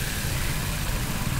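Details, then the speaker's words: Maruti Suzuki Baleno with a humming, bearing-like noise when revved or pulling away in gear: with the AC belt removed the engine gives a short, even low hum and the noise is gone, so the AC compressor is suspected. "Friend अभी तो हमारा आवाज नहीं आ रहा है जो sound आ रहा था तो हमें लगता है कंप्रेसर का ही प्रॉब्लम है"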